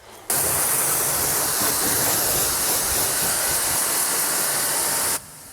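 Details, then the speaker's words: Small mini pressure washer used to wash a car at home from one bucket of water: strong, even hiss of a full jet for about five seconds with no pulsing or sputter; normal spraying, holds pressure. "It's actually quite a powerful jet from this small machine. It's basically comparable to what those big car wash machines generate."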